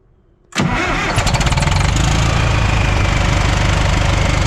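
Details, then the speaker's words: "Brutus" after the 24V fan drive solenoid was replaced: the diesel starts at 0 PSI air pressure and settles into a steady, even run under a heavy fan roar with no extra noises. The fan stays engaged because the fan clutch is stuck open. "The fan is gonna be on, so it's because there's no air in the system now. Let's see. Look at that. Sounds like Mary. You don't hear no extra stuff."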